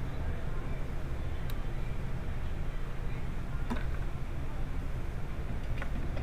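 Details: Engine idling deep and uneven, stumbling about once a second; cylinder #2 misfire from a stuck-open fuel injector, on an engine with no fuel pressure regulator on the rail.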